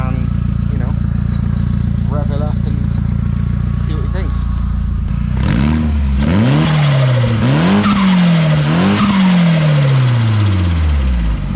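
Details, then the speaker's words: Rotary engine (180T). A steady hum, then it fires up; several sharp throttle blips fall back cleanly to a smooth, even idle, a normal start and rev. "I think this one will be fuel pump, and then this will start it up. And you've literally got a running 180T."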